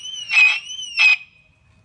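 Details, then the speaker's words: 2006 Mercedes-Benz W211 E350 4matic alarm siren, unplugged from car: piercing warbling wail in two short bursts, then fading as it dies; keeps sounding on its internal backup battery. "make sure you disconnect your battery as well this is actually as an internal battery and that's why it's doing that"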